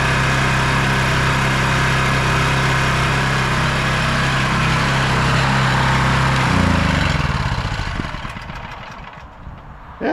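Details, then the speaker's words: ETQ 4000 W portable generator with a cheap carburetor, started on first pull with choke; firm, even hum at full rpm with no surging, making power on all receptacles including 240 V, then winds down cleanly at shutoff. Normal running. "that's perfect you know first pull with choke and no surging making power so we got um this running and fully operational"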